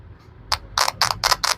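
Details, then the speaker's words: Tested spare ringer speaker, mic held close, checked on a power supply before Spark 20C sound-fault repair; six sharp crackling clicks, each about a tenth of a second, as it is tapped to the supply; ringer responds fine. "आवाज आ रही है सबको? yes, मतलब ये ringer तो okay है।"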